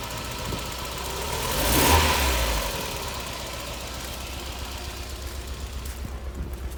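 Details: Mazda MX-5 after a quick rev settling to an uneven idle with a stumbling, lumpy pulse about four times a second; misfire, head gasket issue suspected; engine misfire.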